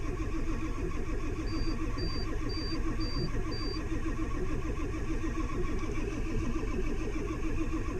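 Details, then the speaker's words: Duramax LBZ diesel pickup, 260,000 miles, in cold weather with new batteries, HPOP reservoir still emptying: sluggish, labored cranking that never fires; slow cranking no-start. "Okay, so this thing, like I said, it's still full HPOP uh still doesn't still empties the reservoir. So, uh and it's cranking slow."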